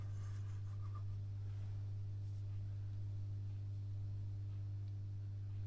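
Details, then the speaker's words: Masco M25N tube amplifier with a poor recap, powered through a bulb limiter with B+ only 134 V; constant low hum near 100 Hz with faint buzz, no signal; mains hum from insufficient filter capacitance. "you can hear the volume's coming up now and and we've also got some real bad background"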